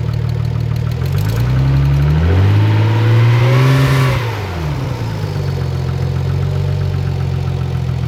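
Engine revs up and settles back to a low idle with a faint regular tapping underneath; cause not evident by ear. Cause suspected, not confirmed.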